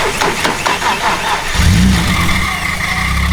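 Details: BMW E30 that broke down after its battery came undone in traffic: short cranking, fires at about a second and a half, revs up and holds a strong, even run after reconnecting power; normal start.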